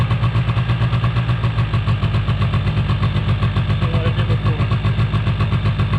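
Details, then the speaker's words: 2005 Polaris Predator 90 two-stroke quad, sat long, new battery, carburetor tuned: fast steady idle pulsing about four times a second that won't settle; high idle hanging, carb spray showed no leak, cause unknown, exhaust leak noted. "I believe the last time it ran for y'all, it was high idle was hanging. I sprayed around the carburetor for any leaks, and it never revved up or bogged down or anything."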